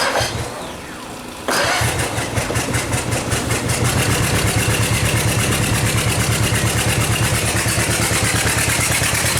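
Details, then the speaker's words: Yamaha F60 outboard idling with a steady knock of about three per second from the crankshaft near cylinders 3–4. The knock is unchanged with cylinders 3–4 plugs removed and the fuel pump removed. Oil pressure is good and valve clearances were checked; owner suspects a connecting rod. "отчётливый стук слышно на коленвале в районе третьего четвёртого цилиндра"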